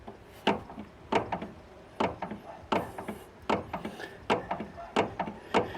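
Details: Worn outer tie rod end rocked by hand, showing almost 2 mm play: sharp wooden-sounding clunks about every 0.7 seconds, a progressive front-end knocking noise. Worn outer tie rod end.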